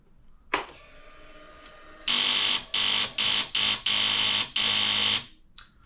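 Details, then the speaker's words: Kawasaki KFX450R, starter solenoid, battery and button already replaced by owner: pressing start gives harsh high buzzing bursts in uneven stabs instead of cranking; bump starts and runs with mid-range hesitation; cause unconfirmed. "now he's informed me that he's replaced the starter solenoid the battery the button just about everything and this thing just makes this crazy noise"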